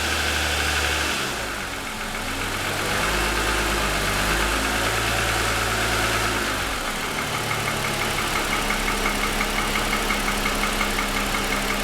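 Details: 2007 Lexus ES350 V6 parked with the hood up, cold start: hollow regular knock over the idle, pronounced piston slap lasting about 10 minutes; it has grown louder over 2.5 years of ownership.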